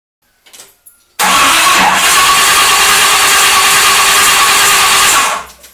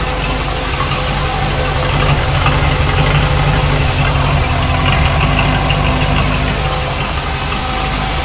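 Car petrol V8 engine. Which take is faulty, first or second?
first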